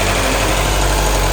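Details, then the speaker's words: Four-cylinder engine at its first start after a head gasket job, with all four plugs in: a steady idle with a light, quick ticking that keeps pace with the engine. Loose valve lash is suspected and it may need a slight valve adjustment. "sounds like it might need a slight valve adjustment but besides that she's running"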